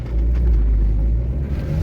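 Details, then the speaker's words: 2006 Renault Kangoo 1.5 dCi panel van turning on full lock after the axles were repaired: low, even rumble with no clicking or snapping from the front axles, the earlier clicking gone; quiet CV joints. "önceden çatır çatır çatır çatır gelen ses şu anda yok hiçbir şekilde Ses gelmiyor Allah'a şükür"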